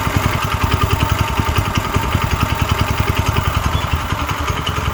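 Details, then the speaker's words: Clone single-cylinder engine on a vintage Heathkit Boonie Bike: steady putt-putt idle firing evenly about eleven times a second with no knock or miss; normal idle. "okay there we go all right let's see what happens now that's how a clone is supposed to sound"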